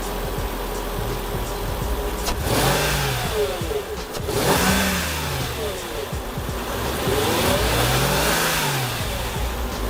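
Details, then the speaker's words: 2003 Mercedes CL55 AMG with supercharged 493 hp M113K engine, bought cheap with many problems (ABC suspension warning); revved through several smooth blips with pitch rising and falling cleanly, no knock or miss; sounds healthy. "it sounds pretty healthy I mean I've seen these engines sounding exactly the same"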